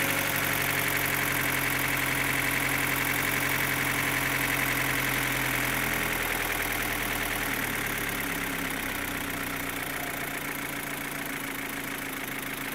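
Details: 2015 Opel Astra H Z16XEP petrol engine: quick, steady top-end tick over idle, fading slightly as revs drop; disappears when cylinders 3 and 4 are cut, tappets replaced without change, non-original camshafts suspected; cause unknown.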